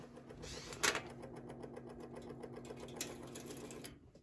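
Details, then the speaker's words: Burnham steam boiler after a thermocouple replacement and relit pilot, on a heat call: the thermostat relay clicks, then the vent damper motor hums with fast, even gear ticking and opens normally. "First click you heard, that's the thermostat relay. Got a call for heating. So now the vent damper is open."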